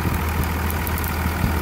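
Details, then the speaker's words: 1999 Cummins diesel, repaired with a new Thoroughbred Diesel injection pump, on a frigid winter day; steady low idle rumble, smooth and unbroken with no knock or miss, idling normally. "anyway there we go we got her all fixed up she's ready to go again"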